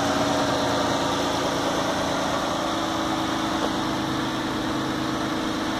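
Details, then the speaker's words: New 2016 Dodge Grand Caravan 3.6L VVT V6 with 7,000 miles at idle, about 20 seconds after startup: steady even idle with a faint slow ratcheting/clicking tick, no knocks; normal running noise. "new you can hear you know about 20 seconds into starting up it it really quiets down there is like a ratcheting or a clicking but it's pretty quiet pretty slow"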